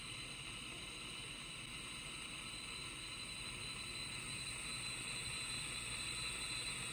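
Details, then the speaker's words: Home-built 40 m direct conversion receiver after fixing AF amplifier mains hum: steady hiss of band static with no buzz, faint CW Morse buried in the noise; normal reception. "I don't know if you can hear that that is just static and actually if you're listening carefully you can hear some CW"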